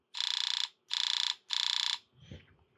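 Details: LPG Keihin injectors from PRINS VSI system on a bench pulse tester in continuous mode: three bursts of fast, even buzzing clicks, about thirty a second, clean and steady; gas injectors firing normally.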